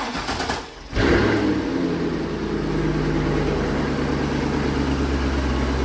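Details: C5 Corvette V8, track and autocross car, started just after replacing engine mounts: cranks and catches at about one second, then settles into a steady, even, deep idle with no knocks or clunks; normal idle.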